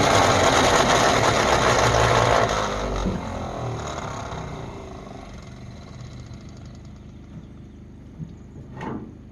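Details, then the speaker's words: 1948 Ford F5 bus abandoned 25 years: steady cranking about four turns a second that fades before the engine catches and runs smoky; owner suspects a weak battery for the slow cranking. Hard starting. "I don't know why it's cranking so slow. I might need to get a new battery on this thing. It's gonna go any moment now."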